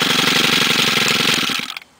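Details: 2011 STIHL FS90R 28 cc four-stroke trimmer, primed after failing its usual first-pull start: crisp, even high-revving buzz with steady firing and no stumbles, then a clean cutoff; engine runs fine.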